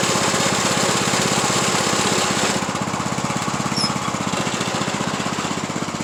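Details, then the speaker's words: Craftsman YT3000 lawn tractor after an oil change, still smoking (owner suspects head gasket): small engine running with a fast, uneven knock or rattle about four per second, heard with camera underneath; cause unknown, bracket doubted. "White's making that noise like it's doing it's weird how that's sounding"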